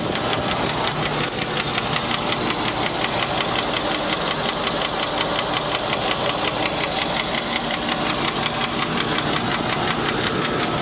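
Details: Land Rover 4.6 V8 at idle with a sharp, steady metallic knock about three per second; possibly bad rod bearing, collapsed piston skirt or bad lifter, unconfirmed.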